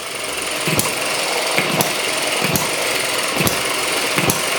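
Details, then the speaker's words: ET6 model hit-and-miss engine, running loose on the bench: sharp firing pops about every 0.8 seconds with steady coasting whir between as the governor skips firings; normal hit-and-miss running. "now you can see all of the uh the governor working now it's jumping off the bench definitely needs to be held down a bit more secure"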